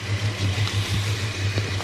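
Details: Holden HK after new heater box fitted and coil lead redone: smooth even low hum at idle, previous loud ticking gone; normal idle.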